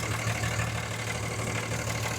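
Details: Cummins diesel truck after the belt shredded because a replaced power steering pump sat an eighth inch too deep, now pulled back into position: smooth, even idle with steady low rumble and no belt rubbing, chirping or slapping.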